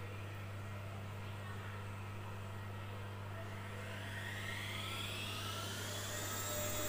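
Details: Lux Royal WH 1093i washing machine after replacing the inner drum and cracked spider with shaft: fast spin with steady hum and clean whine rising, no gasket rubbing or knocking behind the drum; healthy, noise fixed.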